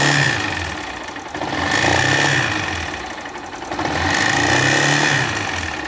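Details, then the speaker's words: 2018 Honda CG 160 Start single-cylinder motorcycle, revved up and down: hard metallic knock under the revs; piston slap from a piston melted and cylinder scored through lack of lubrication, likely missed oil changes. "estamos com a 160 aqui start CG start 160 2018 com barulho motor e nós vamos desvendar esse mistério junto"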